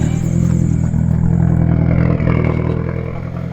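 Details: Nissan S13 Silvia long unused, first start: loud uneven idle with irregular lumpy beat and open blatting exhaust (needs a muffler); running rough, cause unconfirmed, owner suspects it may just need to be warm.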